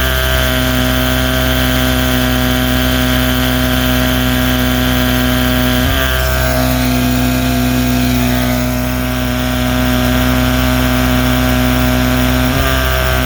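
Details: 1979 Evinrude 35 hp two-stroke outboard running: steady buzzing drone with brief hiccups around the six and twelve second marks; intermittent stumble, owner suspects misfire or clutch dog slip.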